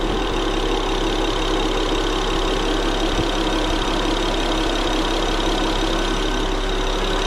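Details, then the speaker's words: 2010 BMW E60 535i xDrive, idle after replacing the fuel injectors: smooth, steady idle hum with an even beat and no stumble or rough firing; a fault code later returned after driving. "Так, все, ми поставили форсунки. Зараз будемо пробувати заводити. Ось як звучить мотор з заміненими форсунками."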